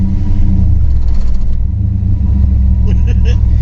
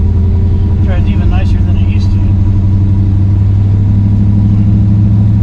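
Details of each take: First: 1963 Chevrolet Bel Air with four-speed conversion: deep engine rumble with a hard pulsing shudder as the car pulls away, severe clutch chatter on take-off, also hard shifts when warm; owner suspects an incorrect clutch fork, fixed with new flywheel, clutch, fork and rod. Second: 1963 Chevrolet Bel Air with four-speed, warmed up, test drive after new flywheel, clutch, correct clutch fork and rod to cure chatter; low engine note builds smoothly on take-off with no judder; clutch softer, engages smoothly.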